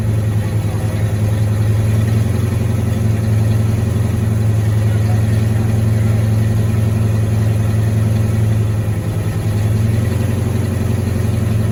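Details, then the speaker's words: 1986 Ford Mustang GT V8, original miles, sat a long time, new cap and rotor, fresh fuel; uneven loping idle about three to four pulses a second, missing. "Uh-oh. Kind of sounds like it's messing though. That's not pretty good."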